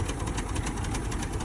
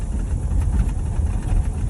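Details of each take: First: 1985 Chevrolet K20 4x4, 350 V8, 3-speed automatic, revived after sitting 10+ years with no tune-up yet: low, uneven, loping chugging idle with no knock; owner suspects bad plugs or a carburetor giving slightly too much fuel. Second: 1985 Chevrolet K20 4x4, 3-speed, revived after sitting 10+ years: deep, steady low rumble with even pulses, no misses or pinging; timing sounds spot on, distributor likely needs no adjustment; normal idle.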